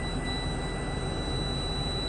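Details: 2022 Tiffin Allegro Red 38KA diesel RV at idle, wheels chocked during a pre-trip air brake test: steady drone with constant airy hiss as the compressor builds brake pressure normally toward the 125 PSI governor cut-out.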